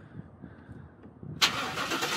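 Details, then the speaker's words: LT1 Trans Am given away, with the engine reportedly replaced and the exhaust shot: a quiet rumble, then the engine catches at once into a loud, raspy, even roar; normal engine start. "wow sounds good right give it a little love probably yeah yeah yeah the exhaust is shot everything is shot under there but supposedly the engine was replaced"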